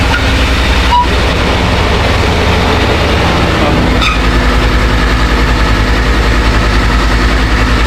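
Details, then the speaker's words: 2014 Ford F-150 5.0L V8 after starter, heater hose, upper radiator hose, thermostat housing replacement and throttle body cleaning: fires right up, deep steady rumble at even idle, no misses or knocks; starter sounds good, possible wet belt noted. Normal idle. "fire right up sound like we got a wet belt down there that starter sounded good"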